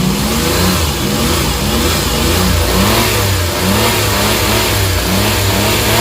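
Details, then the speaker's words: Suzuki mini van DA64/DA63 K6A engine after vibration repair and rewired harness, aircon on: revs smoothly and picks up cleanly with steady, even firing, no shake or miss; responsive, healthy engine. "so responsive responsive yyung under ng makina in between ng throttle t saka ng under ng combustion"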